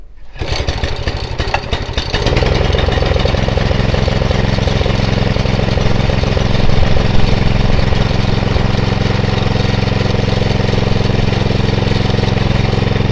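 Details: Atco Royale B24E cylinder mower single-cylinder engine, before carb clean: catches after two seconds, then low, fairly steady chug with slight rises and dips; dirty carburettor making it hunt under load.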